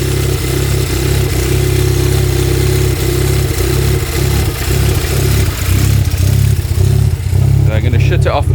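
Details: Stage 3 VW Golf R Mk7, first start after months standing, with 980cc multi-port injectors and an RPC intake manifold fitted, not yet mapped: lumpy, uneven idle with a wavering low rumble and irregular dips; rough running with the throttle body not attached.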